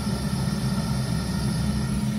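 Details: Zhukovsky gas heating boiler (labels read "23" and "97", likely the 1997 model year), gas tap about a quarter to half open: low, wavering, grunting burner roar. Unstable combustion that disappears with more gas; moving the damper doesn't change it.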